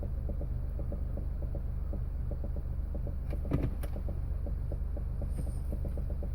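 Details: 2008 Smart Car that won't start or go into gear: a steady electric motor whir with regular ticking about two and a half times a second, likely the gear actuator working.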